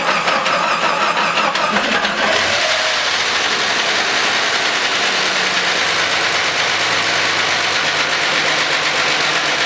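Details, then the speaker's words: 1990 Jeep Cherokee XJ first start after fuel-system work for a no-start: harsh clattering racket from the top end, no oil pressure on the gauge, shut down at once; oil is present. "didn't see any oil pressure on the gauge and it sounded like a lot of Racket up in the in the top end so I shut it down"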